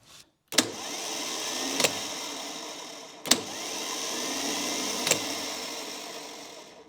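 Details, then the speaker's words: 39MT starter on a bench test, free spinning: two runs, each with a sharp clack as the drive kicks out, then an even high whir winding down cleanly; starter working fine. "seems to be working fine"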